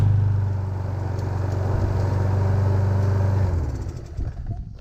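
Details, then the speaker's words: Free Craftsman push mower started on the first pull, running without an air filter and with its self-propel not working. A steady, even single-cylinder putter with no misfires; it sounds healthy. "man that sounds good that sounds healthy"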